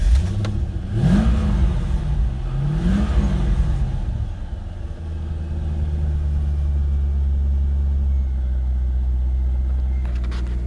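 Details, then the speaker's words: 2000 Chevrolet Corvette C5 after sitting parked for many years, possible air in the fuel system: cranks and catches twice with rising then falling revs, then a rough low idle that cleared up; hard start after long storage. "a little little tough starting it a little rough on the idle but it seems to have cleared up"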